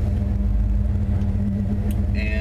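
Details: Steady low idle with an even hum, A/C on; the whining noise is gone, belt drive sounds quiet and healthy.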